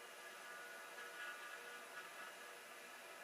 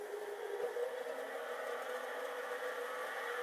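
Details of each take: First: Hard drive (TM602S/TM603S pair), spinning after a tap freed stiction; red light not on: even, steady whir with faint high hum, no scraping or knocking; normal spin. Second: Hard drive nearly 40 years old, likely unpowered 30+ years, starting after stiction: whir climbs slowly and evenly in pitch as platters come up to speed; spin-up after stiction.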